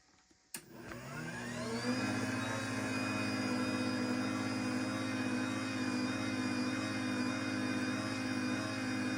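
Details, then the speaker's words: LiftMaster 85503 garage door opener from 01/2021, new in box after four years, run with a programmed 877 remote; motor spins up quickly and settles into a smooth even hum, steady pitch, no knocks or grinding; normal motor run. "But I'll grab this 877 I got to successfully program and we'll go ahead and run it just so you can hear what the motor sounds like."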